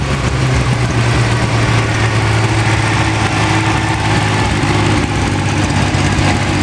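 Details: Freshly rebuilt Ferrari Dino 246 GT V6, fully restored and run on a small test stand before final installation, with oil pressure, water temperature and exhaust being checked: smooth, even idle, steady low rumble, crisp exhaust, no knocks or misses; normal idle.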